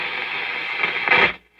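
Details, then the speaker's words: Antique Philco 46-480 AM/FM/SW radio on the shortwave band: steady hiss and crackle with a faint trace of a station underneath; shortwave static noise. "This is shortwave. There's something there. Behold, I come quickly. Hold that fast which thou hast, that no mistake. So he was picking up some shortwave and some noise."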